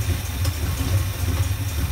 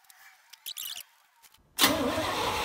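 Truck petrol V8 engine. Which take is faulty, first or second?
second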